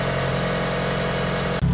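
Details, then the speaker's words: Mitsubishi Evo IX after fitting a rebuilt Forced Performance Green turbo, not yet driven, exhaust manifold smoke burning off: even, steady low idle with no stumble or hunting, brief dip at the end; normal idle. "it's that's actually really not bad right now to be honest with you it sounds good it's not stumbling or anything"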